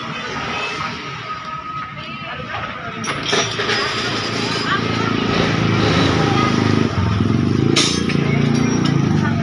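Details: Vespa Piaggio Zip 100cc scooter after repair of sudden stalling caused by a faulty ignition key switch connection; engine starts and settles into an even, steady run with no misfire or cutting out; normal running.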